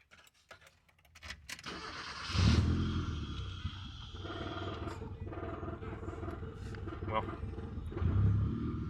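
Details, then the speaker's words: 1990 Ford Festiva after a DMSO engine oil flush, after sitting six years with a new fuel pump: starts cleanly and settles into an even idle with some exhaust rasp; injector ticking audible, lifter noise largely gone. "nice and smooth as far as engine sounds go the only thing you can hear now is fuel injectors firing"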